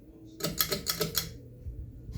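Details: 52" Hampton Bay Landmark ceiling fan on high speed, said to wobble and be a little noisy: quick run of sharp dry clicks, six or seven per second, over a faint hum; clicking noise.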